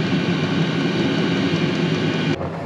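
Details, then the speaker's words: New diesel heater in cargo trailer camper, running off a battery since the Jackery couldn't power it: steady, even roar and low rumble, no surging or misfire knocks; burning cleanly, running normally. "well there it is it's actually working runs off this battery"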